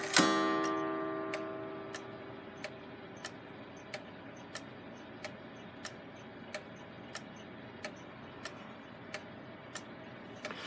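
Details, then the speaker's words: Gilbert long-drop octagon clock after rebuild, hanging vertical on the wall, springs not fully wound, hands run round to test strike: one mellow gong strike rings out and dies away smoothly, then steady ticking; strike sounds healthy. "go ahead and run the hands around a little bit to see how the strike sounds with hitting in the vertical position now it's a very nice mellow tone"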